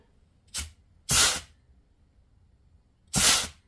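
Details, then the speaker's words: Chrysler A-518/46RH (727 overdrive) automatic transmission from a 1992 Dodge W250 4x4, direct drive clutch pack bench-tested at about 75 psi air: sharp hissing bursts that cut off cleanly, with seals holding and no leaks, which is normal. "and there's no air leaking what you hear that air coming out is because it has nowhere else to go so it's slipping past here and that's exactly how it should work"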